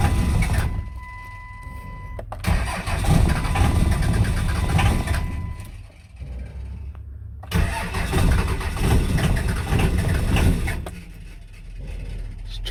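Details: 5.9L 24-valve Cummins diesel: repeated long bursts of slow rhythmic cranking with pauses, on one old battery and a booster charger, not firing. Extended cranking, no start.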